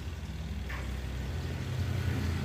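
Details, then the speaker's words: Washing machine after fixing no-spin fault: 8 µF capacitor replaced with 5 µF, brake wire bodge removed and brake restored: low steady even drum rumble, no grinding or knocking; normal spin. "bro, ini sudah berputar. Nah, kalau ditutup dia akan ngerem ya."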